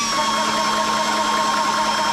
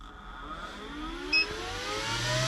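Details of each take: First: ToAuto PCP 4500 psi portable compressor filling a 0.5 L snorkel tank on a 12 V battery. Even buzzy hum. Running weakly on low supply voltage. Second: ToAuto PCP 4500 psi portable compressor filling a 0.5 L snorkel tank on a fully charged 12 V Optima red top battery, after it threw an E2 code on a jump pack. It spins up with rising whir into a steady hum. Running normally, strongly.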